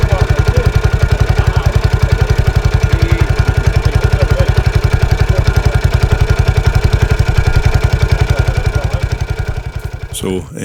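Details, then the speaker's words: 1983 Husqvarna 510TC four-stroke single, recently rebuilt after fire damage: strong, even thumping at roughly 220 beats a minute, steady and crisp with no knocks or rattles; normal running and idle. "you can hear there it's still quite a nice sweet sounding at 510 engine after its recent rebuild"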